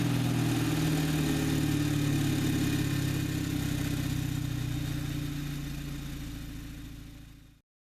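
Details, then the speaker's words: VW MKVI GTI cold start before installing catch can replacing PCV valve: idle wavers and surges with uneven stumbles and misfires before shutting off; cause not yet pinned down. "so here's a clip of how it sounds same thing as before same cold start video that I had before where you get misfires in air surge"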